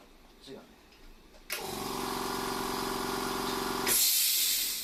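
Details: Try-POWER 2 hp, 4-cylinder, 1500 W quiet-type air compressor (200 L/min), only about 2 hours of use, replacement unit making abnormal noise: harsh rattling drone with fast uneven tick; owner suspects connecting rod misalignment.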